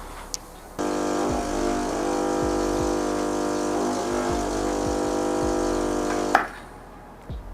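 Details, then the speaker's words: Gemini espresso machine pump gives a loud, steady, unchanging buzzing drone for about 5.5 seconds. It strains against a puck ground too fine on the DF64V with SSP burrs, so nothing extracts and the grind must go coarser. "So as you can see, at that point the grind size was too fine for me. Even though it felt like it was sand, it was just way too fine for the Gemini to extract anything out."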